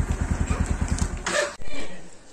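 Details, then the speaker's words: Bajaj Pulsar NS160 at about 23,359 km, two years old: rapid rattly cranking about eight beats a second then a sharp clack; won't start on a single press, starter must be held; owner told engine timing has changed; also stalls after 30 seconds. "బండి start చేసినప్పుడు single self లో start అయితలేదు self పట్టుకొని ఉండాల్సి వస్తుంది"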